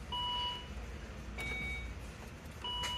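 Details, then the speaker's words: 2015 Volvo S60 no-start with a new starter and battery, no DTCs, and the engine not seized. A faint single click under a chime, no cranking. The starter is starved of voltage by a failed fusible link in the positive battery cable. "it just clicks which means the starter is not getting enough voltage it is starving there's not enough juice for it to turn it over"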